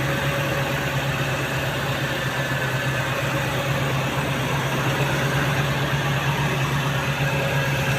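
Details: Toyota 3RZ petrol engine idling with an uneven, lumpy beat from a faulty coolant temperature (thermo) sensor, which also causes hard morning starts.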